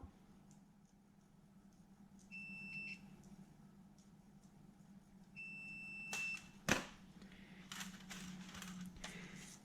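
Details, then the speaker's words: Multimeter continuity check on a new wiring loom for a non-VVTi 1UZ with Link ECU and coil-on-plug conversion, injector wires to the ECU connector: two short high beeps amid probe clicks, meaning good connections. "some might think I'm crazy running the multimeter across all the wires and doing it this way what do I find as it means that I double check all my connectors that they are all good"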